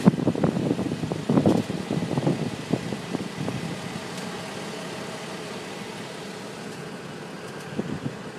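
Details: 2009 Infiniti FX35 at quiet idle: irregular sharp snaps and crackles from the exhaust, about one a second then thinning out; owner suspects the catalytic converters, not confirmed.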